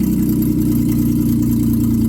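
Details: 1995 Plymouth Voyager minivan, 209,068 miles, after revival and brake line work: steady, even low idle hum with no knocks, misses or hunting; idling smoothly.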